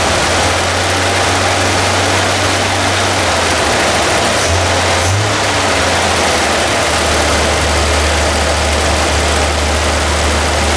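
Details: Toyota FJ40 Land Cruiser after new distributor, cap and rotor fitted (old mechanical advance wasn't advancing), base timing set good: steady even low idle drone, no stumbles or misses, under background hiss; high idle still being adjusted.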